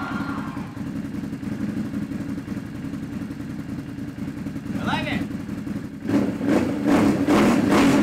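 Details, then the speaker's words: Can-Am Renegade 1000 with a no-start, no-power fault that kept blowing the ignition fuse. After the starter solenoid/relay was replaced, a few seconds of quiet ticking, then it catches at about six seconds and revs strong and steady. Clean start, in neutral. "I don't know if you can tell but I'm super stoked I got everything hooked up and it fired right up"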